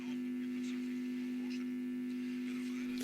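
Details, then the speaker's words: Telefunken Jubilate tube radio, first power-up before full re-capping, on FM at about 224 V through a current-limiting bulb, speaker brought close: loud steady low hum over a clear but very faint station; filter capacitors need changing. "it's picking up something very very faintly but it's it's actually clear but very faint lots of harm obviously so the filter capacitors need changing"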